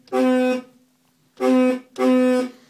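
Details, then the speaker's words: 2003 Honda Element original horn before replacement: three short honks with a thin, reedy, goose-like tone instead of a firm blare; weak, failing horn. "alright guys so here we have a 2003 Honda Element I guess you could consider this ace a compact SUV all-wheel drive the horn is dead and so what it sounds like"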